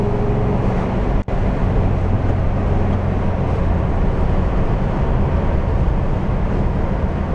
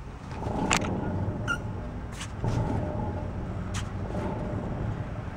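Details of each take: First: VW bus on a highway road test after gear reduction box bearing repair; earlier transmission failure had sent particulates into the reduction boxes. Smooth even rumble at road speed, no whine or growl over tyre and wind noise: quiet drivetrain. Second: VW Bus: low steady rumble with faint droning hum while running, first thought a front wheel bearing; wheel has play, so owner suspects a bearing going inside the rear gear reduction box.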